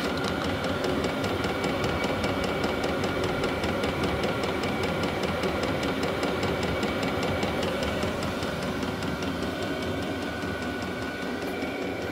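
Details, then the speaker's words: Vevor 12 V diesel heater running on maintained battery after earlier oil-fouled attempts; steady fan rush with even fuel-pump tick about 100 a minute, no sputter; burning normally, strong heat output. "Bon ben, ça finit que ça fonctionne."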